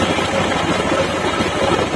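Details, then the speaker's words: 2020 Honda Beat Deluxe scooter after an ECU remap. Before, it wouldn't warm up in the morning and stalled after rain. Now it idles evenly with a steady putter and idling stop works again: normal idle. "stasionernya sekarang stabil juga jadi eidling stopnya pasti normal lagi"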